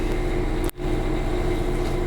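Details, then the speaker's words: Diesel generator on a Dynamax Europa 34SS Super C motorhome, run mid-winter in storage after owner doubted anti-gel was run through it, with shore power disconnected and heat pumps loading it: steady, even low drone with one brief dip as the load shifts. Generator carries the load normally. "Okay, so we've gotten the generator to kick in like it should."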